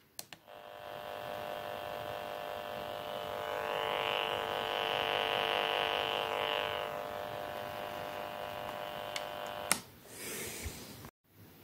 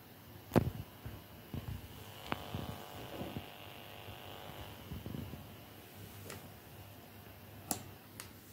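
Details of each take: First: FrSky Taranis transmitter after installing TBS Crossfire TX module: steady electronic buzz with fast pulsing edge from the radio speaker due to RF interference, before fitting ferrite core filters. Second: FrSky Taranis Plus radio with TBS Crossfire TX module, after adding ferrite core filters: only a faint thin residual buzz from the speaker under handling clicks and taps, buzzing largely cured.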